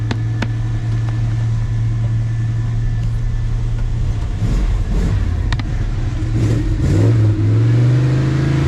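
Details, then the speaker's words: 1980 Dodge W200 Sno-Commander with swapped Magnum 5.9L V8, cold on choke in snow, four of eight plugs fouled: low uneven burble that bogs as throttle comes in, running rich; owner suspects the used, incorrectly rebuilt carburetor despite corrected jets. "I monkeyed around with it, put the right jets in it, but see how rich that was?"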